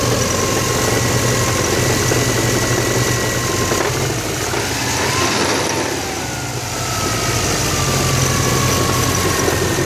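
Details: Subaru WRX (Saab-badged) idling with a rough, gritty grind from the transmission area that began after drifting in snow. Loosened main flywheel bolts snapped the set screws holding the flywheel bearing surface, lodging fragments that dented the rear crank surface.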